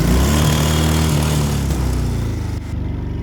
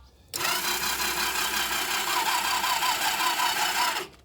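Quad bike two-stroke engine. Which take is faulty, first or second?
second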